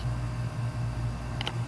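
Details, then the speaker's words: Hard drive after its center hub was loosened and the platter barely rotated, heads untouched: low steady motor hum, then a sharp double click from the heads as the drive can't read with misaligned platters. "then it gets to where it just won't function the way it needs to actually hear it clicking so nothing was done to affect the heads"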